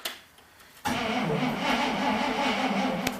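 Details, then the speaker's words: 1973 IH Loadstar Blue Bird bus with a Holley two-barrel carburetor, hard starting: quiet, then the engine churns unevenly for a few seconds without settling when throttled; wetness shows a failed accelerator pump diaphragm; choke linkage also frozen. "you can see down there that wetness that would be the accelerator pump diaphragm has failed so we're gonna go ahead and pull this carpetrator up"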